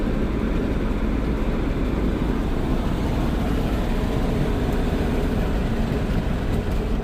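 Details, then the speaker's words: Dodge/Mercedes Sprinter diesel van on road test after a repair for being gutless: steady low diesel drone pulling under load over road noise, no flutter, surging or hiss; no check engine lights, boost and wastegate values as expected. "No check engine lights. We got great performance on hills, flats. I'm seeing the expected values."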